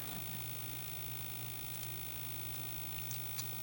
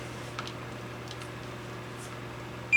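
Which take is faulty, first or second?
second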